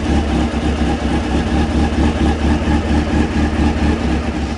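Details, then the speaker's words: Honda CB600F, about 26,000 miles, with a recurring cylinder-two misfire, started cold, tank off: smooth even four-cylinder idle with steady beat, no misses or stumbles; sounds much better, normal idle. "Um, yeah, it sounds a lot better straight away."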